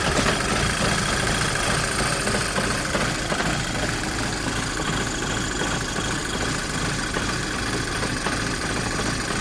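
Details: Volkswagen GTI Mk5 at cold idle with an uneven, lumpy beat that keeps stumbling instead of settling into a smooth rhythm; rough running while cold.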